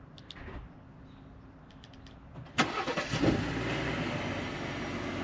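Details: 2018 Ford F-150 3.5L EcoBoost (Gen 2) cold start after the dealer replaced the cam phaser and changed the oil and filter: sharp crank and catch, then a smooth, even, much quieter idle with the phaser rattle gone.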